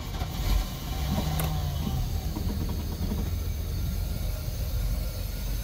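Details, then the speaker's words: Boat with Holley Sniper EFI and updated settings, cold start at the launch ramp with outdrive down: catches first turn and settles into a steady, even low rumble, no stumbling. "so that fired right up now uh let's see if we have any stalling issues here at the ramp"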